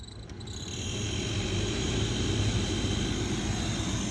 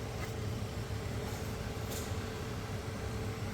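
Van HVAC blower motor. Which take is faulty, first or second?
first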